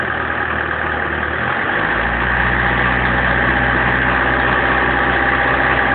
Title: bruit moteur bmw 318 tds 1994 acceleration 2